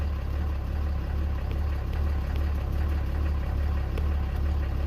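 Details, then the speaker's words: RAM 3500 diesel just after fuel filter replacement, cranked after six to seven key-on priming cycles: low idle that surges and wavers as air is still being purged from the fuel filter housing; uneven idle from air in fuel system. "It's still pumping fuel, as you can hear how it's running. The fuel filter housing is still trying to prime the air."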